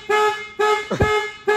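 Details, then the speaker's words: 2005 Lincoln LS 3.9L V8, towed in with crank-no-start and blowing fuses, low battery: loud horn honks repeating about every half second; security alarm set off. "you do man you set the alarm off"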